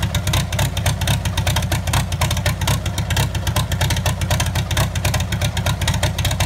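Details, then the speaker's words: 1954 Farmall Super M tractor, hood off, first start after auction purchase; it wouldn't start at the sale and the owner hoped it was only a dead battery. Steady, even low beat with a slight lope after startup. Normal idle. "wow that sounds good oh yeah you gotta push the choke in that'll run on the six bowl"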